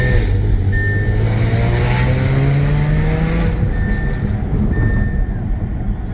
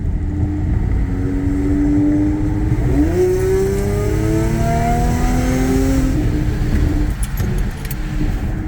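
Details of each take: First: Audi A6 3.0T with Motorsport crackle tune, test pipes, downpipes and Vibrant mid resonators, before Gibson 55106S muffler install, heard from the cabin while driving hard; harsh raspy drone climbing with revs: exhaust rasp. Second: Audi A6 3.0T after Gibson 55106S anti-rasp muffler install: revs up smoothly and settles back with a deep, even throaty drone and no raspy edge; exhaust rasp cured.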